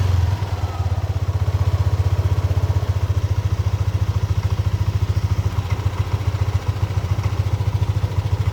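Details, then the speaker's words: Yamaha Aerox (old model) scooter with new CKP crank position sensor fitted, fault code cleared: cold idle around 35 °C, steady even low putter with no misses or knocks; engine now starts and runs smoothly. "Oke kawan-kawan, ini motor sudah bisa dinyalakan. Intinya dengan CKP yang baru"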